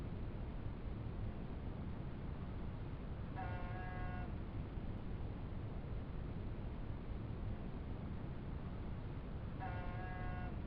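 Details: 1987 Honda Goldwing GL1200 Interstate: over a steady rumble, a harsh half-second buzz cuts in about every six seconds in this clip (every 3–4 minutes while riding), starting after the first ride of the year; source not yet identified.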